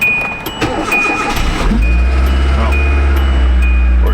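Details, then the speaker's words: 2010 Hyundai Accent after no-start repair, cold start at minus 2 degrees outside: brief crank then quick catch into a steady, even idle with no stumble; normal cold start, fix confirmed. "just cranking right up, old son."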